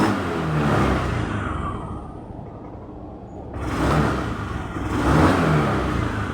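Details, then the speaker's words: Honda Beat injection scooter with rough starter: engine stumbles and sputters when the throttle opens from idle, revving late and unevenly, normal at high revs; possibly a weak battery, fuel pump pressure checked next. "ditarikan awalnya itu agak brebet dan dia tidak langsung teriak ya"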